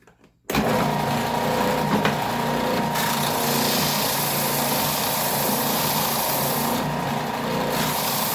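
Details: New Ridgid oscillating belt/spindle sander, out of the box, sanding a piece of wood: motor kicks on and holds a steady, even whir as wood is fed in, no knocks or rattles; healthy under load.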